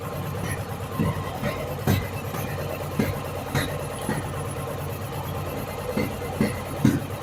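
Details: Yamaha Virago 1100 V-twin during valve adjustment and carburetor synchronization, warm and running with the air filter off; lumpy idle with sharp irregular intake pops every second or so.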